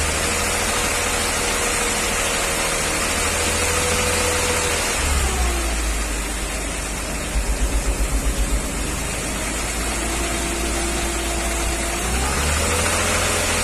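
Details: 1994 Mercedes G320, Japan import, held at fixed rpm with injectors unplugged one at a time: light metallic tick, not rod-knock-like, quietest with cylinder 2 cut; worse cold, quieter warm; piston knock (cracked or scuffed) suspected, engine coming out.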